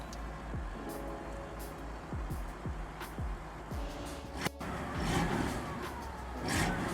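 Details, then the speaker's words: Restored 1964 Chevrolet Bel Air V8 with a recent engine clean-up and gasket set, heard from the rear at the exhaust with a little throttle. Clean rise and fall with an even burble and no misses, ticks or leaks; normal exhaust note. "Not bad. Sounds great."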